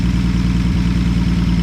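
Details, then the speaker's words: Old V8 car revived after sitting, first start: low, lumpy idle with an uneven beat and a slight stumble, running rough. Ignition timing suspected to be too far advanced and was then readjusted. "sh the timing may be too far advanced"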